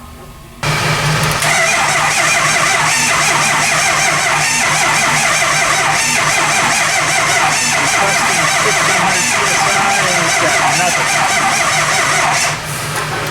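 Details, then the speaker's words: Early 2004 Ford Excursion 6.0 Powerstroke diesel, 260,000 miles, cold at about 20 °F without block heater: steady cranking about eleven seconds with no firing; low injection control pressure, leaking high-pressure oil pump, ICP and IPR suspected. "so more than likely it needs a high pressure oil pump an ICP and an IPR um and those parts were leaking"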